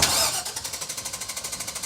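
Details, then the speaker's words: 2000 GMC Savana 5.7 small-block school bus with an intermittent no-start, engine cover off: steady starter cranking about eleven beats a second that never catches; cranks without starting. "I want to verify that it still won't start."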